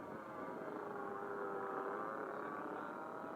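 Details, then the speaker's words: PT40 trainer RC plane with a glow engine on glow fuel, in flight: distant buzzing note drifting slightly in pitch, soft burbly tone; pilot thinks it's running a little rich, motor apparently later quit before a crash. "like he's running a little rich let's see if I can bring it in"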